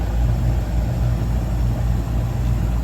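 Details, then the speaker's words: Daikin package unit: blower now running at 1.7–1.76 A with an even hum and no rattles. It still gets no G call from the Nest thermostat and only starts with a Y call. "All right, we at least now have blower operation going 1.7 amps, 1.76, but we still don't have a G call."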